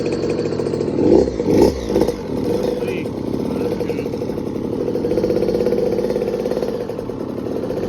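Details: KTM 50SX mini two-stroke, first start since a full frame-up teardown, oil injection deleted, 65cc water impeller: a steady buzz with a few throttle blips that settles back evenly, with no misfire or rattle. It runs healthy.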